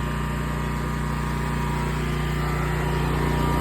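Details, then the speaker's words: Westinghouse 20,000-watt portable generator, new, powering a whole house: steady, even low hum, constant pitch, no knocks or surging; holding speed well, running normally under load. "This thing is a beast. We are powering the house and this thing is is running great."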